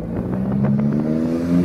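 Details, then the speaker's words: Audi R8 on the road after installing new coil packs and NGK laser spark plugs, replacing plugs fitted about 40,000 miles earlier; engine note climbs smoothly under throttle with no stumble or misfire; normal acceleration. "Woo, smooth! The road wasn't smooth, but my car was smooth."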